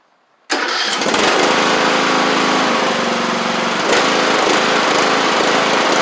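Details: John Deere LA100 mower, 5-speed transaxle, after valve-related hard-starting repair, pulleys and spindles checked: catches instantly and holds steady even drone with blades engaged, no misses or surging; running healthy.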